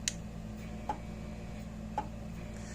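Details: Fence-charger output test on an old International Super 100 solid-state (not low-impedance) electric fencer being repaired for low or no shock: crisp, even ticks about every 1.1 seconds over a quiet background, pulsing steadily.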